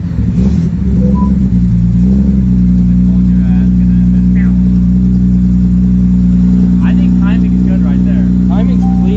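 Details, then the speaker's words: Datsun 240Z with a freshly installed L28 inline-six and a 280ZX five-speed, after install: steady even hum with no misses, a clean rev blip, then a settled idle. Smoothest this motor has ever run; idle still to be adjusted. "look how smooth it is do you gotta adjust idle i will bro but you see that [ __ ] that was the smoothest i've ever seen this motor run ever"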